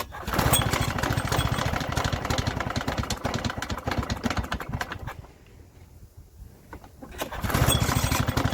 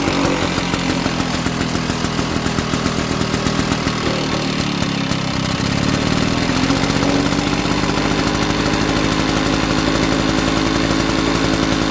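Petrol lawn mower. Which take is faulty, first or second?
first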